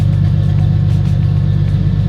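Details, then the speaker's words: Turbocharged Lexus IS300 finally idling on its own after a rebuild of over a year: steady, even low rumble with no stumbles, though an intermittent miss was noted just before; normal idle. "All right. I'm so happy that this car is idling."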